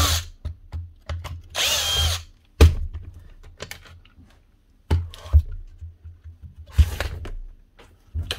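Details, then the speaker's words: Bosch GBH8-45D hammer drill from 2020, red light on: it starts in short bursts, labours and jams with harsh clunks, and stalls between tries; a stripped tooth on the gearbox crank gear, possibly with the armature gear chewed up too. "Gearbox. Hear that? And she's jamming there. Stripped one of the teeth of this crank gear."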